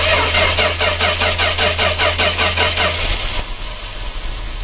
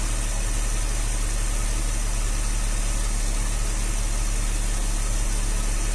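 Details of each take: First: 1966 Dodge A100 van, 225 slant six, after running and abruptly cutting out: starter cranks about 2.5 turns a second with no firing and no spark at the coil. Crank, no start. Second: 1966 Dodge A100 van, 225 ci Slant Six after long sitting, with points and jumper wire: steady even idle with a smooth low beat, no knocks or misses. Accelerator pump plunger likely worn. Normal idle.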